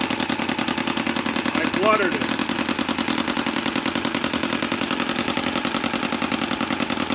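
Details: MUSA Hoglet V2 model engine on a cold start after a few days unused, with a quick choke and about quarter throttle. Quick, even popping beat holds steady with no misses or hesitation; runs healthy.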